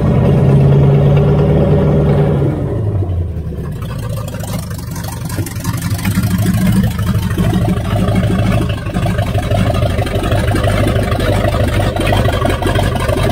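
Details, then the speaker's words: 1978 Chevrolet Nova, V8 (likely 305 two-barrel) abandoned 25 years, open exhaust, rat-chewed distributor wires, getting hot: loud uneven lope with slight stumble about three times a second; rough running, seems on all cylinders, owner rules out distributor and carburetor. "I don't know, it's still got a little bit of a shake, but it seems to be running on all the cylinders."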